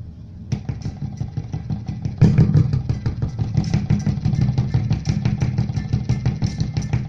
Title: How to fix a PLATINUM PRO AUDIO SULTAN MA-350R power amplifier that has a motor engine noise.